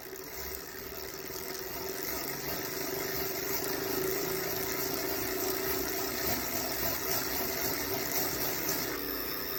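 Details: Wahoo Kickr trainer flywheel during a workout, freewheeling and pedalling: loud droning whir with steady tone and rough buzz like a propeller engine; flywheel severely overheated, resistance cut out, spin-downs read n/a.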